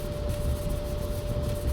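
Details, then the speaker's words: Maytag Bravos XL dryer (MEDB855DC4) after lubricant was sprayed on the screeching idler pulley, a low even drum rumble with a faint steady tone and no squeal; runs quietly, a temporary fix until the pulley is replaced. "Well, I guess that's the point. You don't hear that."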